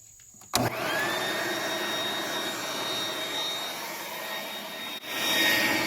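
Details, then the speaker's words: Woodgas-fueled Chevrolet Cavalier during gasifier lighting: blower fan wired straight into the system switches on, pulling vacuum, and settles into a steady airy roar with a thin high whine, running smooth and even; normal blower fan operation. "first off we're going to turn on our fan it's just hooked straight into there"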